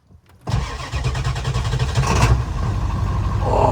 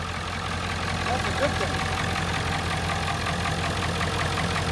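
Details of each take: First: 1997 Ford F250 7.3 Power Stroke turbo diesel on a chilly day, after waiting to start: brief crank, then it fires immediately and settles into a steady, even diesel clatter at idle; a healthy cold start. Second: 1997 Ford F250 7.3 Power Stroke turbo diesel, first start in two years, white smoke: steady, deep idle with a rough, rhythmic clatter at about 160 beats a minute; someone says it sounds like it's knocking, cause unconfirmed.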